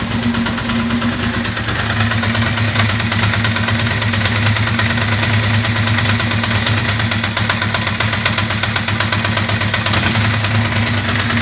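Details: Ducati Monster 620ie: lumpy V-twin idle with uneven skipping exhaust beat; one cylinder misfiring from a bad injector, fault moved to the horizontal cylinder after swapping injectors.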